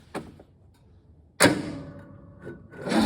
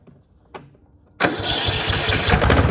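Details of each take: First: Cub Cadet riding mower with 424 hours, used year-round with snow plow: short cranking, then the small engine catches and runs unevenly for a few seconds before stopping; hard starting, owner suspects valves out of adjustment. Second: Cub Cadet mower with 424 hours, previously hard to start, after adjusting the valves to 0.003 in and fitting the gasket: quiet, then the engine catches at once and runs steadily without stumbling; normal, easy start.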